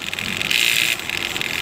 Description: I just bought this DJI Phantom 3 Professional and I am having problems with the camera making a buzzing noise and wont stop, making the video come out blurry.